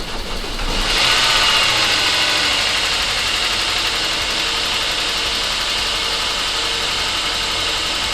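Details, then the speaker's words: Saab 9-5 Aero first start after sitting a few years, after oil change and new battery, cold: engine catches and runs with fast, light, even ticking over bright idle; tiny bit of valve train noise at first, quieting as it warms. "Alive, guys. It don't sound too bad. Tiny bit of valve tray noise at first."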